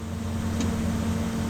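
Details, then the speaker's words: VW T5 Transporter Webasto diesel parking heater started manually after the remote had failed: a steady low roar and firm hum as it lights, smokes, then spins up and settles into a smooth burn. A normal start-up. "Ime on juhtunud. Kuulete, reaktiivlennuk läheb õhku. Ta võtab pöördeid ülesse. Ta on tööle hakanud."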